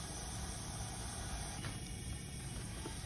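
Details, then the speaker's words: Kia Soul leak-down test on a low-compression cylinder at top dead center, 90 psi in holding only about 25: steady rushing hiss of air at the intake and heavily out the crankcase breather; piston ring leakage. "oh yeah I take that back there's a lot of air coming out of that crank case"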